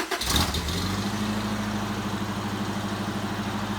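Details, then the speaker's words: 1992 Toyota Pickup 22RE, 2WD manual, first start after header/exhaust install to cure highway drone: cranks briefly, catches cleanly, settles to a steady even idle with smooth exhaust note, no ticks or knocks; sounds much better already. "all right so even after the first fire up we can tell it sounds better uh hopefully the drone's gone that sounds that sounds so much better already"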